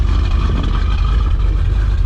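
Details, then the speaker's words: 1976 K20 Suburban V8 started cold after sitting a week in cold weather, half a pump of throttle: deep, slightly uneven, lumpy idle that sputters and should level out once warm; sputtering cold idle. "but it's been sitting for a week so really cold weather for we and it does this like sputtering thing it'll level out if you it all right cold"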